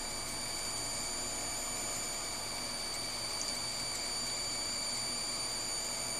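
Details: PC power supply under load from an ATI HD4870 graphics card, constant high electrical buzz and whine over fan hiss, louder with more load and shutting off at too much; PCIe rails suspected, replacing the PSU cured it.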